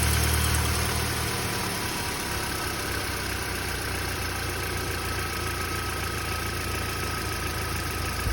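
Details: Audi A3 1.6 FSI, 220,000 km, 5W30 oil, cold start only: a louder rattly roughness in the first second gives way to a steady, even idle; the owner asks whether it is the tensioner, and it doesn't occur when warm.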